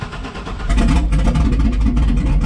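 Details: 2002 2500HD parts truck showing 622,763 miles, in park: short crank, then it catches and settles into a steady idle with no stumble. Oil pressure holds over 40 psi, the alternator charges, and there is no check-engine light.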